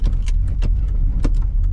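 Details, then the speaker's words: Holden SS Commodore LS1 V8 with big cam, rebuilt, not yet tuned: lumpy, uneven burble with irregular coughs as revs drop at idle, nearly stalling; drives well above 2000 rpm, tune planned to fix idle. "It's just the idle that is the issue. And it nearly stalls here."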